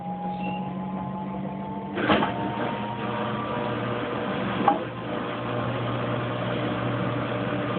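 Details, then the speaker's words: Kenmore Oasis top-load washer after repair for an OL code that had halted loads for about a week: smooth steady spin hum with a soft rising motor tone and a couple of light knocks, spinning evenly and normally. "It's spinning very nicely."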